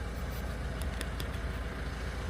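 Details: 2014 Peugeot Partner 1.6 HDi diesel van idling after additive tank replacement and codes erased: steady low idle, even firing, no knocks, misses or warning tones; no engine management light, repair successful.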